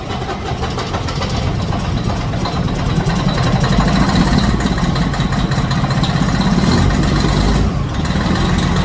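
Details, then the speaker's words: Detroit Diesel Series 60 14L semi truck, first start after in-frame rebuild: deep, steady diesel clatter at idle, even with no knocks; white exhaust smoke, owner suspects injectors. Normal idle. "all right so we did finish the rebuild had some Kinks to work out um I'm very happy it's running it's running"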